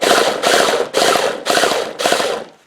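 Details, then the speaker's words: Traxxas T-Maxx 3.3 nitro engine after 8+ years stored in a shed, lubricated through the carburetor, cranked by EZ-Start starter box without glow plug heat: four even half-second cranking bursts, engine spinning freely with restored compression; starter works. "that's good news the EZ stair motor electric motor still works the engine itself seems to spin over pretty freely"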